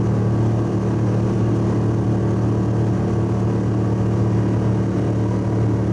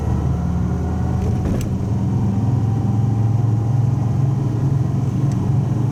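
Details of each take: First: Subaru wagon, inside cabin on freeway at 100 km/h, 3,000–4,000 rpm under full load: deep steady booming drone filling the cabin from a fiberglass-packed, roughly 14-inch X-Force straight-through muffler, before swap to a Lukey Turbo muffler. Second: Old Subaru wagon after welding in a new muffler to replace the X-Force straight-through one, first start: smooth, deep, even rumble with no rattles, blowing or popping; exhaust sounds healthy and fairly subdued.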